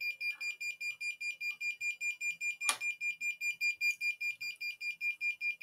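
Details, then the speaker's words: ESP32 fire alarm project with an infrared flame sensor and MQ-2 smoke sensor: a shrill high beep pulsing steadily about 2.5 times a second as the buzzer sounds when a flame is brought near the sensor. "now we are bringing some flame close to the flame sensor and you can hear the buzzer is making the buzzing sound it will be with a fre frequency so it will start again"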